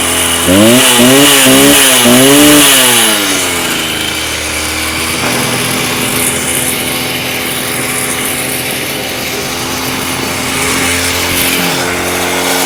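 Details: Stihl TS350 Super cut-off saw, two-stroke, restarted after rebuild with new cylinder, piston, crank bearings and seals: revved up and down, hesitating and bogging in places, then an uneven idle; boggy running, needs carb tuning.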